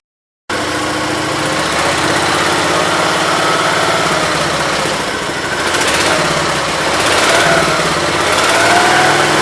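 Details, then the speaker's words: 1968 Gravely 430 small single-cylinder engine, just reinstalled: it holds a fast, steady high idle that never drops back, because the choke cable was routed behind the governor arm; high idle. "well now i figured out the high idle genius me had the choke cable in behind the governor arm"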